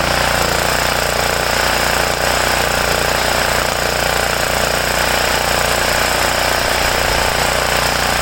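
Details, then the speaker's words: Homelite generator, 389cc Honda engine, after repairing poor fuel flow and dirty carburetor (ripped carb base gasket left unreplaced); steady fast even chugging, rattly top end, no misses or surging: running normally. "I forgot to change it, but whatever. It runs. It's good enough for what I need it for."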